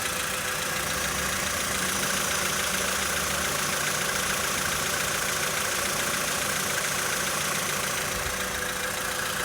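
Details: 2013 VW Polo Sedan Sochi Edition, 65,000 km, cold start idle: fast fairly even knock about three or four per second over the engine; engine knock when cold, origin unknown.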